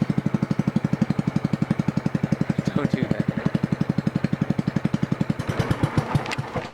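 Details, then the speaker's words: 2003 John Deere LT160 lawn tractor with its muffler removed, running on a roughly three-inch straight pipe: loud, sharp, raw exhaust popping about four times a second; missing muffler. "so i'll start it up for you so you can hear what it sounds like without the muffler on it right now basically it's just straight piped and it's only about a three inch straight pipe anyway so it's gonna be a little bit loud"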